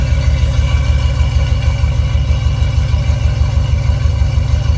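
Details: Low, steady idle with an even pulse around three a second after exhaust leaks were fixed, no ticking or puffing; normal idle.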